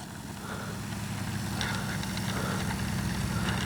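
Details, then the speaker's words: Great Planes Ryan STA RC plane with Spektrum Avian 4250-800Kv outrunner, 13x6.5E prop, 4S LiPo and 60A ESC: steady motor drone with only slight vibration and noise, much quieter than before the vibration was fixed. "oh she got a little bit of vibration a little bit of noise but nothing like she did before"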